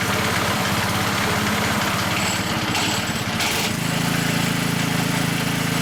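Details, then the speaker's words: High-use Hayter 479 A petrol mower with a worn blade brake disc, after refitting and tightening. A rapid, uneven slapping rattle that goes away when the blade brake is engaged; blade brake disc slap. "If you've got a 479 or a 579 with a lot of mileage on it where it's been used a lot, that could be the reason why you're hearing that noise."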